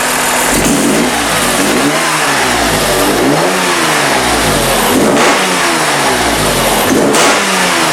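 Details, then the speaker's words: BMW E36 M3 Evo S50B32 engine on a test stand with factory ECU and EWS, at operating temperature with 40 lb oil pressure: clean, smooth rev blips with a faint top-end valve clearance rattle (clearances need adjusting). Quieter than before and idles smoothly. Normal revving. "compared to before she's a lot quieter idles really smoothly very nice"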